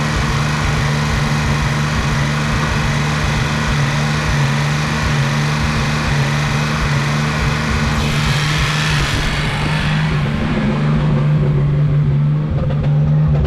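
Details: Nissan 280Z running after a screw adjustment got it started, before new injectors, wiring fixes and a new ignition coil: uneven loping beat with no steady rhythm; owner thinks a slight misfire, not sure.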